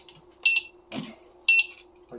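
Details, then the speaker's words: Electric unicycle (Master) with probably just over 2,000 real miles, headlight not working; when lifted upright to balance it gives two short shrill beeps instead of balancing; error beeping. "So you can see it's not balancing. I can set it down. If I bring it up, like it's supposed to start balancing, it'll start beeping."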